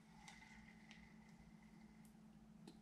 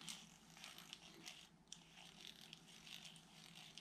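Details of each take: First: Daiwa Strikeforce 2500B spinning reel after full disassembly, cleaning and lubrication to cure squeaking: quiet even whir as handle turns, only faint light ticks and no squeak; runs smoothly. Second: Daiwa Strikeforce 2500B spinning reel cranked by hand after disassembly, cleaning and greasing (possibly over-greased), still giving dry scratchy clicking and grinding gear noise instead of a smooth turn.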